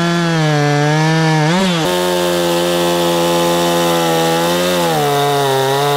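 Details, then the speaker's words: Husqvarna chainsaw after fixing a hidden carburetor leak that caused bogging and fuel leaking; high steady two-stroke scream, briefly dipping and recovering under load while cutting; running clean, normal. "elle fonctionne bien je vais la sortir faire quelques tests pour que vous puissiez voir à quel point elle fonctionne maintenant que la fuite est corrigé"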